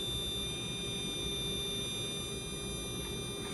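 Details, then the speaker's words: Small RC/slot car electric motor during break-in, run a minute, oiled a drop each side, restarted: steady high-pitched whine holding constant, no scraping, stutter or warbles; motor runs smooth, normal. "that sounds nice and smooth actually nice drop drop start again this is one of the best sounding Motors right out of the box I think that sounds really smooth it's beautiful do you hear the tone it's consistent"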